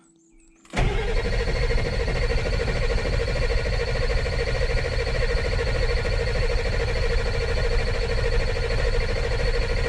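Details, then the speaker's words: 2000 Ford F450 dump truck diesel after IPR replacement, cranking: starter spins steadily for seconds, even churning, never catches; crank no start from fuel leak at fuel bowl, one rubber seal missing. "chased up to here, took the fuel bowl off because I thought something was leaking in there, and ended up finding one of them. They got little rubber pieces that mashes down on when you tighten the nut."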